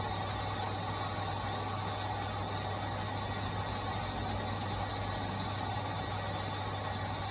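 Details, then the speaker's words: Induction motor started remotely from the drive and run at full speed under no load, drawing 7.4 amps; steady even hum with a constant low tone, no knocks or rubbing; normal running. "so now i'll turn on the induction motor at full speed as you can hear the induction motors come on from the drive remotely"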